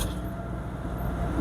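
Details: Toyota Hiace 3L (2.8) on highway road test after differential gear replacement, about 100–110 km/h in 5th gear, rpm some 200–400 lower than before: steady low drone, even road rumble, no whine or knock.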